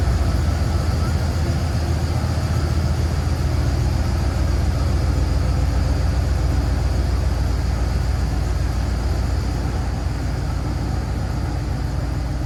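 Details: 1981 Chevrolet Corvette Turbo barn find after new spark plugs, filters, oil and radiator hoses: deep, steady V8 rumble pulling evenly while driving, with no knocks or misses; the engine sounds healthy.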